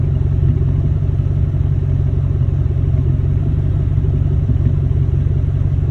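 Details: 1999–2004 Ford Mustang GT V8 at idle: a deep, uneven rumble with irregular stumbles and a loping beat, worse when hot out and not fully warmed up; random misfire, cause not found.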